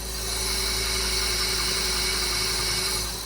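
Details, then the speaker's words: Audi S8 V10, first start after engine swap, both air mass meters unplugged; steady airy hiss with thin whistle over an even idle; suspected false air vacuum leak, to be smoke tested, not confirmed. "here it like it's it's like sucking false air somewhere so I have a smoke machine ready to go on"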